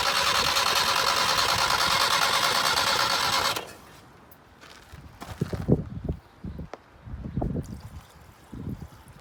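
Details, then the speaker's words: 1978 Datsun 1500 Ute GN620, first start after 20 years parked, fresh fuel in tank: long steady starter churn, about three pulses a second, no catch; cranks without starting, suspected mechanical fuel pump not drawing from rear tank. "Be interesting to see if the fuel pump's actually pumping up fuel from the back tank or not. Hey? The mechanical pump."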